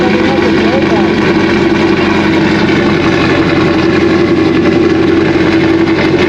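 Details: 2001 Trans Am WS6, 500hp LS1, first start since engine-dyno break-in, untuned with stock injectors and mass airflow sensor, GoPro audio: a loud, uneven big-cam lope throbs under the idle, a normal cammed idle with the engine otherwise fine.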